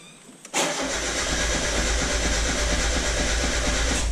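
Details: 1996 Mazda Miata on a SpeedyEFI plug-and-play aftermarket ECU with base tune: starter cranks steadily for several seconds with no firing or catch. TPS calibration acting up and owner suspects a serious base-tune issue; crank, no start.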